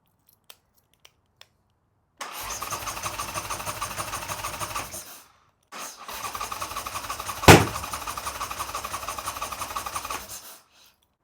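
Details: Harley Sportster V-twin build, start attempt. Starter spins it through two long cranking bursts with a single sharp pop, but it never catches; cranks without starting, cause not confirmed.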